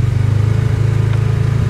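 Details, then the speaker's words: Polaris Ranger 570 UTV in low gear going down a steep incline with light throttle and left foot on the brake: low, even engine drone with a steady pulse, belt staying engaged and slowing the vehicle, with no neutral-like high whine. "just giving it a little bit of rpms and that does keep the low gear engaged so it does slow me down"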